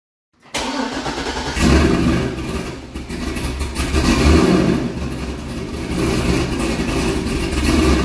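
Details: C6 Corvette V8 first start after an aggressive camshaft and long-tube header install, still on the old tune: after firing it lopes and surges unevenly, the revs never settle, it won't drive and dies. Rough running from a tune not matched to the cam.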